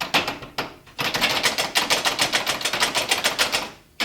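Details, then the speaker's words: Old garage door moving on its original rollers before replacement with a silent roller kit: dry, uneven metallic clatter at three or four clicks a second; roller bearings worn loose and about to fall apart despite greasing. "Real noisy. And if you can see in there, these bearings are toast. I've been greasing them."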